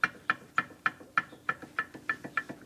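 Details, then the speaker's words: 1969 VW Beetle IRS rear wheel, drum off, hub rocked back and forth by hand: sharp hollow clicks about three a second; excessive play from loose, worn rear wheel bearings, to be replaced inner and outer. "and then this way as well so it's both directions up and down so we just don't think there should be that much play and that much sort of clicky clicky clanky clanky noise"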